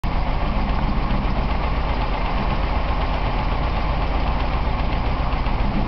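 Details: BMW 318is M42 engine idling after Seafoam treatment: steady low idle with dull, slightly uneven pulse; misfire, engine seems to be running lean, cause unknown.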